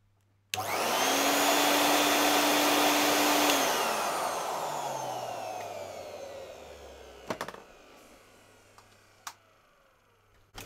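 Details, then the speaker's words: Hoover Aquamaster S4470 wet/dry vacuum, test run after fitting new longer cable: strong even rushing whine for three seconds, then smooth coast-down with no grinding; healthy motor, normal running. "there we go that is working i just unplugged it always double check with yourself now and that sounded really really good"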